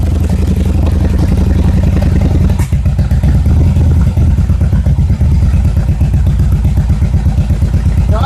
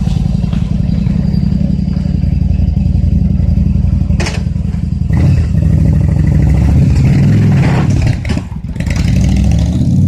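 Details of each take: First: Yamaha XVS1100 V-twin before carburettor jet cleaning: uneven loping idle with irregular firing, then stumbles and bogs when the throttle opens as too little fuel matches the added air; fuel starvation from restricted carburettor metering. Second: Yamaha XVS1100 V-twin after a fuel system overhaul including cleaned carburetor jets, on half choke: deep rumble revs cleanly on throttle blips and settles with no stumble, running far better than before.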